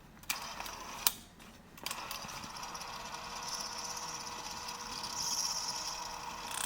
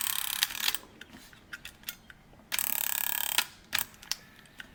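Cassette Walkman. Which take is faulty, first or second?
first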